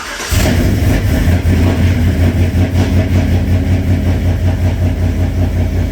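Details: Cammed 5.3 Chevrolet Silverado single cab with a ticking complaint, valve cover off; engine catches into a choppy, lopey idle with a light top-end tick, no oil reaching the rockers; top-end oil starvation.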